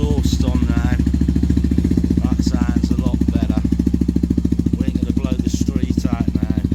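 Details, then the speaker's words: Benelli 125 TNT Tornado single after output shaft bearing collapse repair, full engine strip and case split, exhaust refitted; steady even thump about three beats a second, clean exhaust, engine sounds sweet with gears working. "yeah nice little project I'll get Tom to give with the go down the road again when it gets CH now we mess around the engine sounds sweet and we got Gears"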